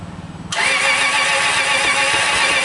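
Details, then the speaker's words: 2004 Subaru Legacy Outback, crank but no start: fast, even cranking pulses turning over and over without firing, then a loud hiss; failed to start that morning, retried when warmer; owner suspects the battery, unconfirmed. "So I did it again, and it just turned over and over and over and over and over and over and over. It didn't do anything."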